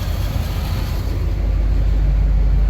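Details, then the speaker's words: 1990 Dodge Power Ram 150 4x4, apparently V8, sat about five years, running after getting fuel to the throttle body and a coolant top-off; low smooth even idle with no knocks, ticks or misses, good oil pressure, very quiet: normal idle. "uh seems to have good oil pressure runs good very quiet"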